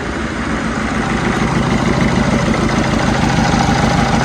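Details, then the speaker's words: Peugeot 307 diesel with hard starting and engine warning light, idling with injector return-leak test kit fitted on all 4 injectors: unstable, shaking idle with uneven pulsing about three times a second; mechanic attributes it to faulty, leaking injectors, likely two. "Vous voyez bien, le moteur, il tremble, il n'est pas stable. Donc ça veut dire qu'il tourne par an. Il y en a un cylindre injecteur, donc voilà, dans les cas, donc 2 injecteurs qui est pas bon."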